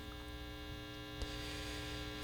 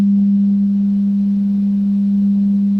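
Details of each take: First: 1960s General Electric dual-speaker long-range tube radio, barn find, on full line voltage: at full volume only a steady low mains hum with no stations, tone control changing the hum pitch. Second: Clean steady low tone around 200 Hz from a 1960s long-range radio receiver's speaker after reshaping the cone to correct buzzing; no rattle or buzz remains, repair successful.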